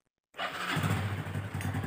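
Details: Honda Revo Absolute 110 motorcycle after clutch repair fixed a rattling engine, fresh oil added: engine catches and settles into a steady, even idle with no clatter or rattle; sounds healthy.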